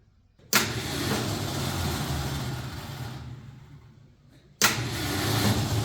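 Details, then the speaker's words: Ford F100 starter failure: the starter whirs up freely and winds down twice with no cranking; it spins without engaging, and on removal the shaft lifts off with gears inside looking a little worn. "Just spins. It doesn't engage."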